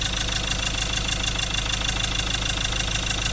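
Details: Engine idling unevenly with a hard repetitive knock about twice a second and misfiring; cylinder 3 glow plug failed and dropped into the cylinder, damaging the cylinder wall and internal parts.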